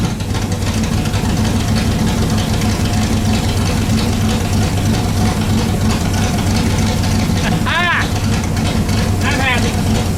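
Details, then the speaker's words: Pontiac Bonneville with Pontiac 455 V8 and Holley carburettor, first run after sitting, idle turned up: strong steady even idle, no stumbles or knocks; 40 psi oil pressure, warms to 180° with fan working, minor diaphragm leaks; starts great, sounds great, healthy. "But you know what? Starts great, sounds great. I'm happy."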